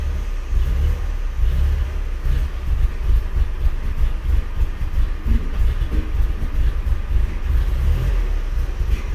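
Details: MK4 GTI at idle: low uneven rumble with irregular stumbles, misfiring with low vacuum; B1S1 O2 sensor heater and malfunction codes, smoke tests found only small leaks, cause unknown.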